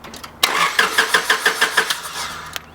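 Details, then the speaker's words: Honda Civic crank no start, fuel line disconnected for test: starter turns engine over about five times a second evenly but never catches; no fuel coming from the fuel line. "there's no fuel coming from the fuel line yeah there's no fuel hmm there's no fuel"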